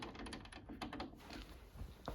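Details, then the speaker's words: Hayabusa-engined mini race car, rear wheel rocked by hand during race prep: light uneven clicks and taps from play in the bearing inside a rear rose joint fitted new two race meetings earlier; worn rose joint. "Hear that noise? That is play in the actual rose joint. Now these were brand new rose joints 2 race meetings ago."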